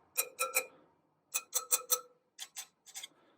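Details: Tap test on the rear wheel spokes of a 2018 BMW R1200GS bought with 350 miles: early taps ring bright and clear, later ones sound shorter and duller, marking loose spokes; 14 loose on the rear, 3 on the front.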